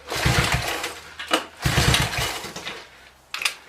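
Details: 1983 Honda 185S three-wheeler, unused about a year and a half, fuel drained for storage, valves adjusted, carb still to be checked, choke on; repeated second-long bursts of cranking with no catch or firing; cranks but won't start.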